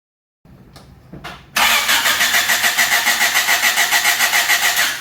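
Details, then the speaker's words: Honda Civic hatchback on a no-start: strong, even cranking with no drag, so starter and compression sound healthy. The fuel pump was not heard priming; the no-start was later traced to leaking ECU capacitors. "give her a little gas open it all right well we got good crank now that's a plus"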